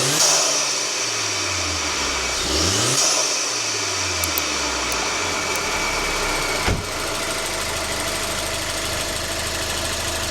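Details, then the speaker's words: Alfa Romeo Giulietta Cloverleaf: revs rise and fall cleanly, then even idle with high-pressure fuel pump tick as the main noise; smoother and less lumpy than before, no misfire. "It looked okay and I know they are loud anyway and that is now the prime ticky noise from this engine. It sounds a lot smoother. It isn't as lumpy now either."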